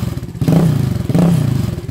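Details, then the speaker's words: YCF 125 Start pit bike with the old baffle partly refitted: baffle is unwelded, broken and loose inside the silencer. Loud, rough low exhaust thump with metallic clattering surges on each blip; barely quieter than no baffle. "Mais ça donne bien en plus, vous voyez, ça se balade dedans. Le truc qui se balade, ça a été fait un peu n'importe comment, c'est dessoudé."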